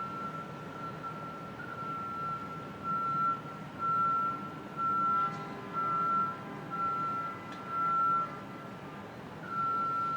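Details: Construction machine reversing alarm at 2 World Financial Center (Brookfield Place), Battery Park City, Lower Manhattan, 7:15am: steady high beeps about once a second over distant city hum, heard by residents 400-500 feet away; alarm sounding normally.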